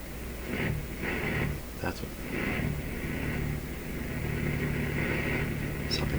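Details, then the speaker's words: Canadian PYE Model 39HC radio on the radio and phono settings: a loud steady squeal rides over a deep throbbing hum, oscillation or motorboating feedback that starts at low volume; cause not yet found. "so we have a really weird a really strong uh hum feedback coming from two settings one is phono and one is radio"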